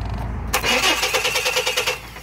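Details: 2001 Chevy S10 4.3 L: quick, even cranking for about a second and a half with no firing at all, though the coil gives spark. Loose distributor cap with a stripped screw gives poor contact; fix is tightening the cap.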